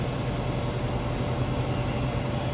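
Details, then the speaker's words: Hayward heat pump pool heater after checking an 11.9-ohm coil, before surge protector install, set to 85°F: steady even low hum with faint constant tone, no knocks or rubbing; normal condenser fan running. "We're going to reconnect those wires, and then we'll fire up, make sure she runs, and then we're going to install our surge protection device on this circuit. Okay. 85 degrees. Let's raise up the temperature. There goes our fan."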